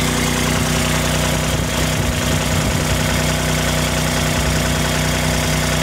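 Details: Kubota RTV1140 D1105 diesel after replacing a failed water pump with leaking shaft seal, V-belt retensioned, started with radiator cap open: even, steady idle with smooth low drone, no knocks or misses; normal idle.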